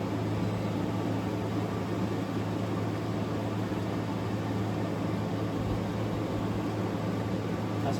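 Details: Newly installed GE AWFS10WWL 10,000 BTU window air conditioner, first start-up blowing cool air; an even low hum with a soft fan whoosh, steady throughout with no rattles or squeals. Running smoothly and quietly.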